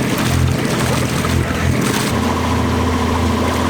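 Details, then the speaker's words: Liveaboard boat's diesel engine after oil contaminated with diesel, old lift pump bypassed with new electric fuel pump, multiple oil changes: even steady chug with no hunting or missed beats, water and hull noise behind; normal healthy running. "sounds a hundred percent better it's occurring i think so far so good"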